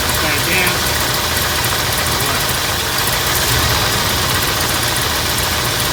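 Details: 1979 Ford F-100 Ranger with a 302 V8 and carburetor, after fixing a backwards-installed fuel filter: even, steady V8 idle with no knocks or misses, running smoothly; it later warmed up without overheating once the thermostat opened.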